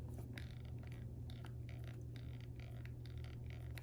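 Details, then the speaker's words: Sony WH-1000XM3 over-ear headphones: repeated dry creaks and crackles as the soft-touch plastic headband is stretched, attributed to the mostly plastic build. "makes a creaking noise when you adjust the when you stretch the headband a bit and that is indicative of the primary pretty much plastic build"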